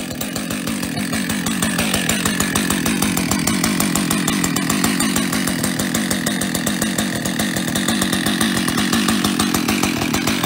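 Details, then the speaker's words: Husqvarna 562XP chainsaw after a new piston was fitted to cure piston-slap rattle. Steady idle and quick revs with the rattle nearly gone; the slight remaining noise may be the centrifugal clutch. Compression was full before the repair. "ja wie ihr eben auf dem Video gehört habt ist das Klappern jetzt nahezu weg also ich höre nichts mehr das was man noch ein bisschen hört ist vielleicht die Fliehkraftkupplung der Motor klingt wieder sehr gesund klappern ist weg"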